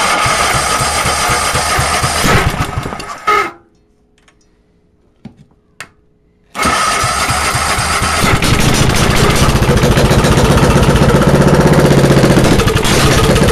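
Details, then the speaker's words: Small engine cold start run from a car-stereo battery, no muffler fitted (open exhaust), running slightly smoky. After a pause it fires and runs harsh and very loud with sharp, rapid exhaust cracks. "that's good enough like you just hear it's really really loud this has an open exhaust right now"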